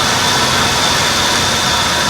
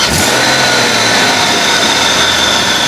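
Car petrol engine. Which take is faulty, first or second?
first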